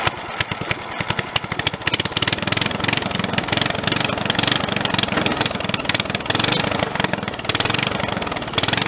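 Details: Snapper 30083 mower engine abandoned 20–25 years, after swapping in a used junkyard magnetron ignition module: quick, even popping settling into a steady idle, firing cleanly with no misses; first run in decades.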